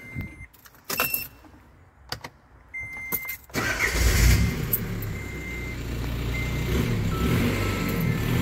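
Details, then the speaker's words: VW 1.9L PD BEW TDI diesel swapped into a Toyota FJ Cruiser, just after camshaft replacement: after initial clatter it catches and runs steady and even with no ticking or knocking; normal running at raised idle. "running at 2 000 rpm break the cams in and then do an oil change"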